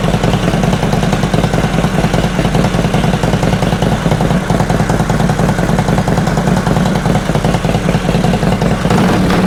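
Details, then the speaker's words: 2005 Harley Road Glide V-twin after new lifters and pushrods, pushrods adjusted a further half turn: loud idle with a faint, regular tick about two or three a second, quieter than before. Owner suspects a fouled front plug is causing backfire. Light valvetrain tick. "Well, I think it's definitely quieter than it was. I still hear a little tick, but definitely quieter than it was."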